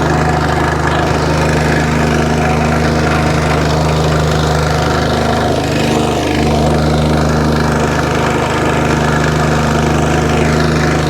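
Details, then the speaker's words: Free curbside wacker plate small single-cylinder engine, tank de-rusted with Evapo-Rust, not run for a while, running on choke; steady even thump without misses or surging, ticks over lovely, normal running, though carburetor work may be needed later. "there you go ticks over lovely when you get to blow a certain rev that it stops vibrating that sounds really good"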